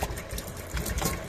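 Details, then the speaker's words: Old Pilote motorhome after cold-weather damage, water heater removed, water pump re-primed with air in the circuit: uneven spurting, gurgling water over pump hum; suspected blockage somewhere in the line, expected to clear as it heats. "donc c'est ça vu les saccades on a un bouchon quelque part je vais continuer de chauffer puis ça devrait ça devrait rentrer dans l'ordre"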